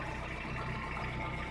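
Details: VAZ 2115 after repairing a cracked exhaust resonator that caused a foreign noise under the car: low, even exhaust rumble at idle with no puffing, hissing or rattling; exhaust sealed and sound.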